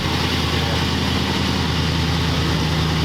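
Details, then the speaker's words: Car freshly fitted with Smithy mufflers, idling: deep, steady, mellow low burble with even beat and no misses or rattles, sounding the way it should; owner suspects the carburetor needs some work. "Yeah, it's like nice mellow. I mean, what this car should sound like that is way better now, too."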